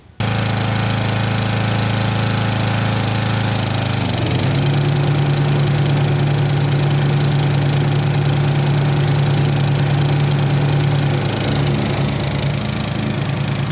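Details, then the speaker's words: 1990s Snapper riding mower, Briggs & Stratton single-cylinder, carburetor rebuilt years earlier, new fuel filter, shut-off switch and air filter, sat for years: steady, even putter settling smoothly at idle; healthy normal idle, called a success. "that's the idle now I would say this is a success fellas"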